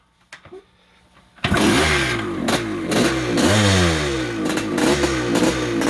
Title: 1973 Yamaha MX250 start up after rebuild